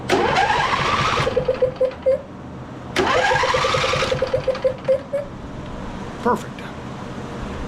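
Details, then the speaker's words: John Deere L111 riding mower, Briggs & Stratton 20 hp V-twin, over 1,200 hours, hard to crank; after .004 valve adjustment, key turned with spark plugs unplugged: starter spins quickly, even cranking about four pulses a second; cranking sounds free, normal. "Okay, spark plugs are still unplugged. Let's see what we got here. Turn the key over."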